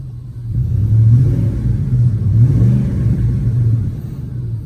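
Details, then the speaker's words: Ford F150 (10th gen) V8 after finding the miss: deep, even rumble revving smoothly and settling back, no stumble or skipped beats; engine running clean. "But this thing sounds pretty good."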